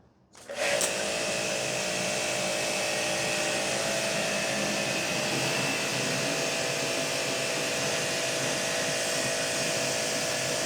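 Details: Hanabi JBD 8003 induction-motor pressure washer, 127V/110V, running the supplied snow foam applicator to wash a bike: starts with a thump, then steady even motor hum and pump whir, no surging or knocking; normal running.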